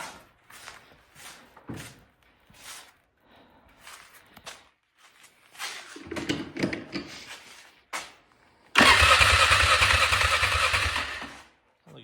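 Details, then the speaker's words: 1999 Polaris Sportsman 500 after running briefly and stalling: starter grinds in short tries, then one long crank that never fires; no fuel from carburetor line despite full tank, owner suspects failed fuel pump, later replaced. "ran out of fuel well I think we might have just lost a fuel pump I pulled off the line off the carburetor spun over and no fuel coming out"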